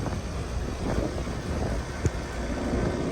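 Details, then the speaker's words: Three-phase compressor, now wired correctly, running on cooling after the contactor pulls in: low, steady, even hum with no knocking or rattling; much quieter than before, running smoothly. "Do you hear the difference, how quiet it is?"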